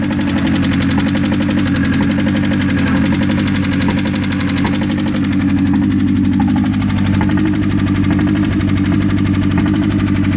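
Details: Mazda engine idling after sitting unused a long time: light uneven ticking knock about four per second over a steady idle; strange engine noise, cause unknown.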